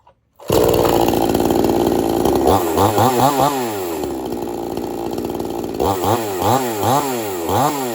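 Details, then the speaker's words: Two-stroke chainsaw on 50:1 mix, warmed up, restarted without choke, switch on: catches on the first pull, steady idle, then clean quick revs; running healthy. "Once it's warmed up, don't choke it no more. Just flip your switch on and pull it."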